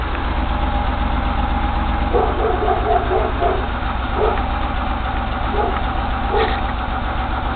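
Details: 1989 Chrysler New Yorker Landau 3.0L V6, high mileage, burning oil, hard starting: cylinder 6 plug wire removed to trace smoke, idle uneven and loping with irregular stumble; rough idle, one cylinder disabled.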